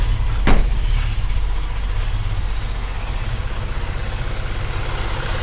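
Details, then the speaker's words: 1965 Mustang V8 with an Edelbrock carburettor, heard at the exhaust from the rear: lumpy, shaking idle with a stumbling thump about two beats a second, running on only a few cylinders, tractor-like; a carburettor idle circuit problem is suspected. "so yeah you can see it's shaking if you come around the back Steve you can hear the listen to the exhaust note and it's sounding more like an old John Deere trctor than a than a Mustang"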